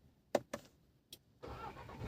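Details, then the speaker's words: VW Virtus push-button start with the brake applied, after a fault where the ignition only switched on and off without starting. A few clicks, then it catches at once and settles into a smooth idle. Normal start. "ನೋಡಿದ್ರಲ್ಲ ಗಾಡಿ start ಆಗಿದೆ. So ಈ ರೀತಿಯಾಗಿ ನಿಮಗೆ ಗಾಡಿ start ಆಗುತ್ತೆ."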